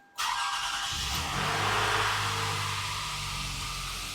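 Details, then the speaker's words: 2006 Lexus RX330 3.3L V6 started right after rear spark plug replacement: a quick crank catches straight away and settles into a smooth, even run with a brief rev and no misfire or knock, a normal start-up. "Oh yeah. Oh, she's running great. Sweet."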